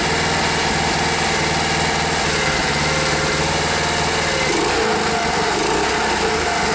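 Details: Rare Briggs and Stratton 5 hp air-cooled outboard running with a steady, even buzz, no misses or stumbles, after fuel pump line and bulb connections were made airtight to cure a no-start; running normally.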